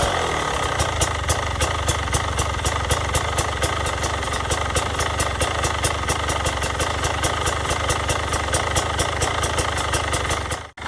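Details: Brand-new 2022 Beta 300RR two-stroke at zero hours and zero miles, idling: even, steady popping beat with no knocks or rattles. Normal idle.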